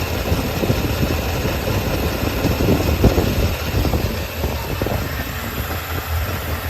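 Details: Yamaha XJR400 4HM early engine assembly, compression tested, start-check run: even, busy four-cylinder idle with no knocks, ticks or rattles; no abnormal noise, engine healthy.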